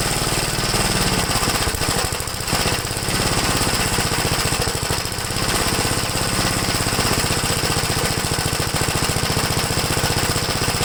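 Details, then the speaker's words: 1969 Gravely LI intermediate-speed tractor, warm engine, heard near the muffler: fast single-cylinder popping with a harsh ragged edge and speed dips, running rough after warm-up. Owner then cleans the carburetor idle jet; cause not confirmed. "I'll bring the camera around with a muffler if it sounds like it's off at more than anything maybe you could hear it it seems like after I warms up I I just really running bad"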